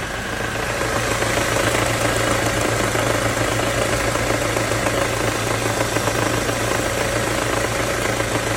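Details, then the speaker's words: Ford Mondeo 4 2.3 engine idling; light ticking knock about four a second over the hum, loudest between cylinders one and two; source unknown. "Слышен звук самое большее между первым и вторым цилиндром. Где-то вот здесь вот."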